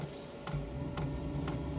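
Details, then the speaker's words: 8 kW Chinese diesel heater being set up in a greenhouse, at start-up after priming: sharp ticks about twice a second over a low hum as the fuel pump speeds up. Normal fuel pump ticking. "Okay, so the primer pump stopped pumping, so I think I need to press the go button and then hopefully it'll start whirring away. Right, you can hear the pump going faster."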